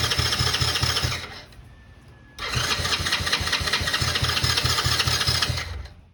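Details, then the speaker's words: 2009 Coolster 125cc quad stored about nine years: steady cranking pulses about three to four a second, briefly catching then fading and cranking again; debris from old gas found clogging the carburetor. "that debris because I shake it out that come out of the carburetor that would definitely clog a carburetor up"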